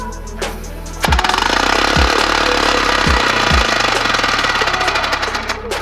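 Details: 3D-printed four-stroke compressed air engine with a large flywheel, run at 40 psi: it starts after a hiss and settles into a fast, steady chuffing of about four beats per second, running evenly and healthy.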